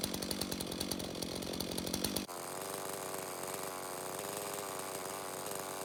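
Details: Stihl MS 391 chainsaw, customer-reported no-start, run on fresh two-stroke mix: a few even idle pops, then a steady high-revving scream with no misfire or bogging. It runs clean; stale watery fuel is suspected as the cause.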